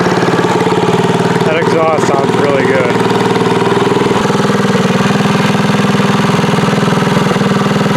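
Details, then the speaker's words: Tillotson 212EE freshly installed on Trailmaster MB200 mini bike with Super Pipe exhaust header, fresh oil and gas: loud open-exhaust single-cylinder idle, even steady putter, no misses or rattles; normal idle. "Listen to that muffler. You know this thing's going to be like really loud."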